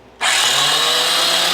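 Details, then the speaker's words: Honda CX500 engine just freed from being stuck, oiled cylinders, cranked on jump box: loud steady high whirring starter, engine turns over freely without binding; starter noisy but fine. "Look at that. Engine turns over, fan, everything works. That's my starter making some noise, but that's good."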